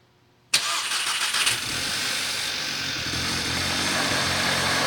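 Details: 2012 VW MK6 GTI, 18k miles, APR stage 1 tune: engine catches on the first crank, then the idle wavers and stumbles instead of holding an even beat; rough idle.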